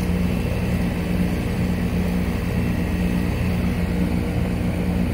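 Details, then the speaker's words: 2.5-ton Goodman GSZ13 heat pump condenser at startup in heating mode: quiet, steady low hum from the compressor and fan with no rattles or buzzing; already heating, very quiet unit: normal operation. "already getting warm yep that is very cold this thing was super quiet a really good unit"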